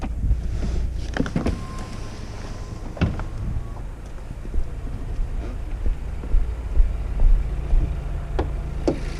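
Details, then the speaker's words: VW Golf GTE at idle after replacing the high-pressure fuel pump: quiet, even low idle hum with only light injection clicks and no knock; the former idle knocking (felt slightly in the steering wheel) is gone. "just to as a verification you can listen very closely but there's no noise car is just very silent"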